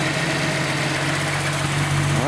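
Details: Nissan 280ZX started after oil change and replacing cracked fuel hoses and fuel filter, checking for leaks: steady even idle with smooth low hum, no knocks or misses; engine running fine.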